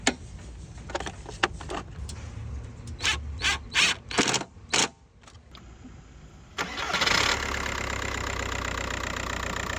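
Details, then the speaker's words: MK4 Golf TDI diesel after replacing bouncing accessory belt tensioner, belt and worn/broken engine mounts: clicks, cranks, catches and settles into steady idle with usual diesel clatter; accessory side more stable, less vibration. "In conclusion, after the tensioner and belt job, the accessory side of the engine is a lot more stable, introducing less vibrations."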